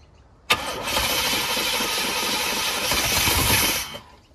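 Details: 1989 GMC Sierra C1500, 350 small-block V8, auction truck fed fuel by hand: fires and revs roughly for about three seconds, then dies as poured fuel runs out; no fuel supply.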